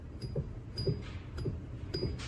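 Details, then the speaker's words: Land Rover Discovery II, new replacement belt tensioner pulley spun by hand: only soft finger strokes, no rumble or grind, unlike the old tensioner with bad bearings and play; healthy quiet bearing. "all you hear is my finger trying to push the pulley"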